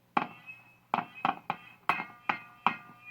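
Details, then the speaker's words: Zenith Z402Y AC/DC/battery tube radio using 1.5 V tubes: each sharp tap on the chassis gives a short metallic ring from the speaker, about one a second. The tubes are microphonic, with feedback through the speaker-chassis mechanical connection. "I think that's just because of the mechanical mechanical connection between the speaker and the chassis feeds back that way I mean these tubes are very susceptible to micro phonics"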